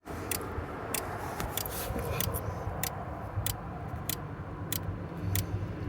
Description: Clicking sound happened and keyless entry stopped working. A similar sound is made when I click the lock/unlock buttons on my keyless entry.